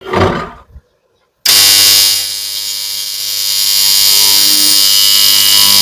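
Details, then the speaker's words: Motor starter giving a loud, harsh electrical buzz that cuts in suddenly and holds steady, far louder than a starter should sound; a warning sign of a starter fault. "आणि आता तुम्ही बघू शकताय त्या starter मधून मोठा आवाज या लागलाय आणि हा आवाज एवढा इतका इतका आला नाही पाहिजे स्टार्टर मधून"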